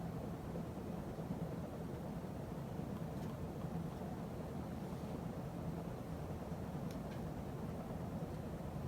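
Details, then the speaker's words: 52" Emerson Heat Fan ceiling fan dated September 1980, after blade balancing and bearing replacement: steady low hum with faint buzz from solid-state speed control, no clicking or bearing noise; normal running. "And there's no more noise, no clicking noise, no bearing noise. Just sometimes buzzing noise, which is common with solid state speed control."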